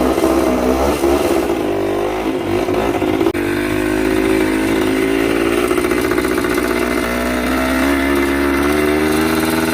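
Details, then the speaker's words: Yamaha 125 two-stroke enduro running again after draining old premix and fitting fresh gas and a fresh spark plug, choke applied; crisp ring-ding revs rise and fall cleanly, then a steady even idle with no misses, normal two-stroke running. "It's alive. Amazing what a little fresh gas and fresh spark plug can do. Ain't nothing sounds like a two-stroke neither."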